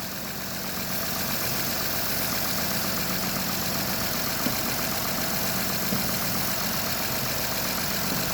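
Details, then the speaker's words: Honda Odyssey petrol engine idling after spraying silicone lube on a fairly new drive belt that squeaked after winter (pulleys fairly new): steady even hum, belt squeal gone. "In this one, I'm going to spray this silicone lube on the belt. Right away, the noise goes away."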